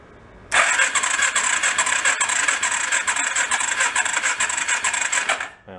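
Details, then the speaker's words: Engine of a homemade rat rod 4x4 ATV cranks fast and evenly with a thin whirring rhythm and no firing; compression reads about 45, too low. Owner thinks a manual decompression valve or tight valve adjustment may be the cause. "not too good that's like 45 I think it's got a decompression valve in it"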